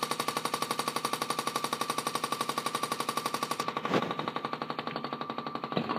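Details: Haier 1.7 cu ft mini-fridge, under 3 months old: steady sharp evenly spaced knocking about three times a second while running; loud abnormal banging, cause unknown.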